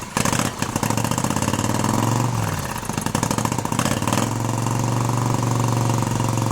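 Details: 1971 Moto Guzzi Ambassador, 4-speed, under full restoration with changed crank and new rings, first fire-up: catches after a few cranks, blips up, settles into even quiet idle without rattle; motor sounds tight and healthy, normal running.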